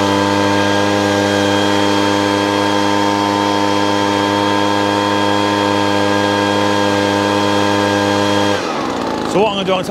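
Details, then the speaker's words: Small two-stroke leaf blower run on the owner's pre-mixed fuel: steady high buzz at constant speed then cut off, running lazy, rich and very smoky from oil-heavy fuel. "let's have a look now so it happens but running but very no a smoky run"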